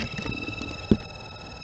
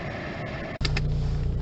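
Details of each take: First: Mercedes cabin blower fan on its lowest setting: a steady high-pitched squeal over the hum from the dry fan motor bearing. A PTFE spray onto the bearing silenced it, confirming the bearing. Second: Mercedes cabin blower fan at lowest setting, panel dropped, after oiling the end of the fan bearing: a brief knock then a steady low hum with no squeal or chirp; normal blower fan operation.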